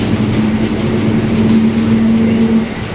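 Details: Caio Apache Vip 4 bus on Mercedes-Benz 1724L chassis while driving: steady low-pitched drone humming above road and engine noise, very loud differential growl/whine.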